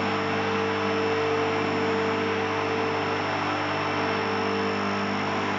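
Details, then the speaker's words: Automotech AS-235SBE 3.5-ton twin hydraulic ram two-post car lift raising: smooth, even pump hum with no straining or grinding, faint click of automatic safety locks engaging, only one click expected; normal operation. "so i've heard that click this is the automatic safety logs engaging that is completely normal you should be hearing only one click"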